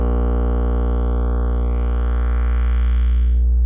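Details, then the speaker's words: Miller & Kreisel MX-105 MkII subwoofer plate amp distorting above low volume; test tone raised toward 120 Hz gives a low steady tone with a gritty buzz swelling and fading like a beat; clipping from bad main filter capacitors, fixed by full recap. "you can hear it start to distort as i raised the frequency so it's actually acting like a beat frequency oscillator bfo"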